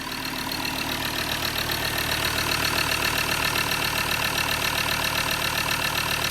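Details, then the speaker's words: Recently bought Ford Ranger diesel after leaking injectors, missing injector washer, loose bolts and a blocked, blowing EGR valve were fixed with new bolts and gaskets; even diesel clatter at idle, the earlier hiss gone; normal idle after repair. "You can hear the engine, but I can't hear the hissing the same as we could."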